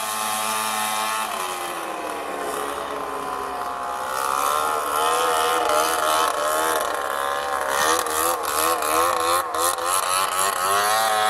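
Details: Two-stroke snowmobile, after replacing the jackshaft bearings and about 2 hours of riding: revving up and down with a raspy, buzzy edge on the exhaust note; the owner suspects an exhaust leak.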